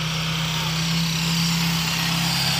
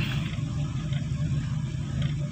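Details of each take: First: 1990s Toyota Corolla 16-valve carburettor engine that stalled on clutch release, after idle adjustment to about 900 rpm: smooth, even idle with no shake or hunting and outdoor hiss behind; carburettor settings seem right. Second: Carbureted Toyota Corolla 16-valve that stalls when releasing the clutch pulling off: low, uneven rumble with irregular exhaust pops, because idle rpm is set too low and the air-fuel mixture is off.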